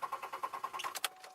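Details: 2002 Chevy Malibu with a fuel leak, exhaust leak and seized rear wheel, after a no-start problem: steady fast starter cranking about ten even beats a second, then stops without catching; cranks but won't fire.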